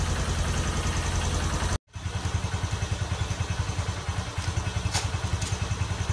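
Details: Honda Verza 150 single after a top-set piston kit replacement (it had run out of oil and sounded rough): brief pause, then fires and settles into an even thumping idle about three beats a second; healthy.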